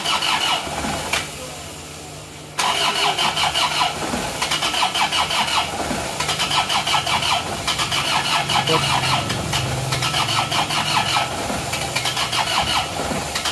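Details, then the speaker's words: Freshly rebuilt diesel engine after overheating and seizure, first start, not yet warm: long laboured cranking with faint uneven firing before catching to clattery idle; injection pump timing set too retarded. "P ya timeng Bos pom terlalu mundur sebentar kita geser dulu kita rubah timeng bospongnya Kita majukan dikit"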